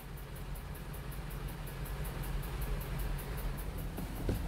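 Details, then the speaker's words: Four-cylinder car engine idling on LPG with STAG WC-03 gas injectors: rapid even ticking about four a second, injectors clicking too loudly; worn injectors, fixed by replacing all four with a new set. "wtryski te staga zaczęły już cykać a to oznacza że Wiecie no już po prostu trzeba je byłoby albo przeczyścić"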